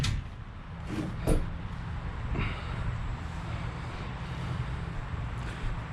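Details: Freshened 390 FE V8 in 1966 Ford Galaxie, first start, timing not fully dialed in, idling in neutral: low even rumble with no knocks or misses, a few clunks around; transmission fluid found low.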